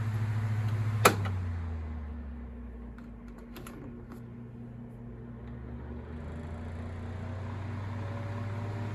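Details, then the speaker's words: Galaxy 9-inch desk fan (model 2154 believed), with a motor the owner thinks is an old, higher-quality Sanyo motor: after a click, a low, steady, distinct hum with no rattle or wobble; normal, healthy running. "so the motor on this one has a different sound to it i think it's probably a better slightly higher quality motor i think it's a sanyo motor"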